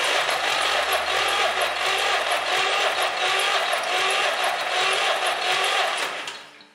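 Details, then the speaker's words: Lamborghini Lamborghinetta diesel engine, first start attempt after restoration with new head gaskets and the pump, filters and pipes refitted: even starter cranking at about two compression pulses a second, never firing; diesel isn't reaching the injectors. "Diesel don't arrive to injectors. Try to pump a little bit more with the hand pumps and see if something changes."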